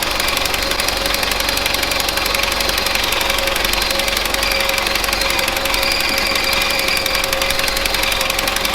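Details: 1970s Bolens QT16 garden tractor, sitting unrun for quite a while, started on old gas gravity-fed to the carburetor, about half choked: fast, irregular, hunting chug, running rough; carb needs cleaning out.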